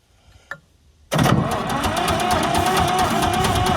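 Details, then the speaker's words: Massey Ferguson 200 crawler loader, three-cylinder Perkins diesel, new battery, cranked at starter solenoid with ether; click, then steady starter whine with even compression beats about three a second, never catches: crank no start. "not any not any sound at all with ether so I'm going to be thinking about this one for a while"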